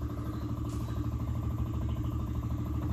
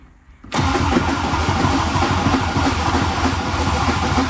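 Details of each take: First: 1966 MG MGB, stored a long time, battery at 12.2 V: with the key on and the engine not cranking, a steady fast ticking hum. The electric fuel pump is priming and running normally before the choke is pulled. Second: 1966 MG MGB, long stored, after starter short fixed: steady fast cranking about four seconds with no firing; fuel pump heard running, briefly ran on starter fluid, so carburetors not getting fuel (float bowls, dirty carbs).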